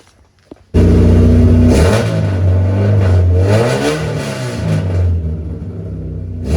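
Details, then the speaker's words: Race car engine after refitting the OEM distributor in place of the aftermarket one, cam timing unchanged: revs up stable to 4000 rpm with a strong, even firing note and no misses; startup was a bit rough. "stable ramping up to 4000 RPMs that sounded strong"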